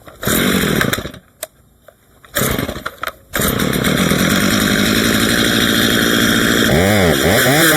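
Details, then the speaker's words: Stihl MS 230 chainsaw with aftermarket parts, after tune-up, sharpening and cleaning, cutting wood: two-stroke snarls cleanly, rising and dipping as it bites, pulling strong without bogging; runs well, idle later found slightly low. "Really can't complain about that. Pretty good."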